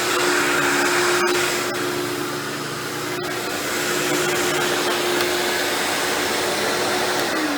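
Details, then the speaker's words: Dirt Devil Deluxe 8201 upright vacuum running: a rough, gritty grind over the steady motor whine comes from the brushroll, not the motor. "you hear that grinding noise you're hearing I'm lying down is actually just the brushroll"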